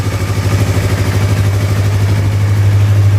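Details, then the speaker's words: Used motorcycle checked before purchase, engine running with the exhaust covered by hand: a smooth, even low putter at a steady idle, about three pulses a second, with no knocks or ticks; the engine is still very smooth and healthy. "kita dengerin ya ini maut mesinnya masih sangat halus"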